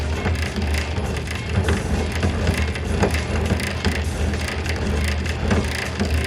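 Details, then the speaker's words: Bread maker with new drive belt, second kneading stage: motor keeps turning under irregular crunching clicks as load builds; the gear/sleeve slips and the belt stalls while the motor spins, to be inspected later. "But it's the gear itself that's slipping. We've reached the second kneading stage, and it is kind of kneading."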